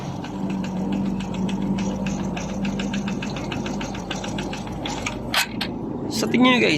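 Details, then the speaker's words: Honda RS 125 Fi single-cylinder idling before teardown, owner reported a knocking noise: sharp even tapping about four to five per second from the lower engine; connecting rod or piston slap suspected, later confirmed piston slap. "kaya nanggaling ang tanog meron ang kanyang makina Ito ba ay connecting rod o Ito ba ay piston slap"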